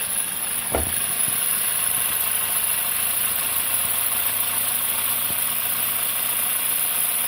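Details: 1.4 TSI 122 hp engine idling with the accessory belt removed: a smooth idle with a thin, dry, high-pitched clatter still present, so the noise is inside the engine; the source is unknown.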